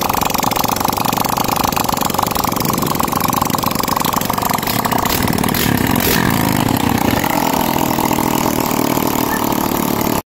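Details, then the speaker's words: Yamaha Jupiter single-cylinder after top-end rebuild, timing chain retimed, cover refitted with gasket oil for a leak, carb reinstalled, first start after sitting about two weeks: steady even idle, quick regular firing, no ticking, knocking or hunting; normal. "So yan kakabitan na ng carb and then pinaandar na ni Boss Gary. Pakinggan natin yung andar."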